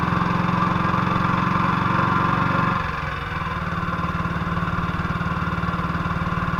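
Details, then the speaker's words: 1958 BSA C12 single on a road test after its misfire was fixed: a steady beat that eases off smoothly when the throttle closes, with every stroke firing evenly and no misses. It sounds like it used to. "but it went all right sounds like it used to"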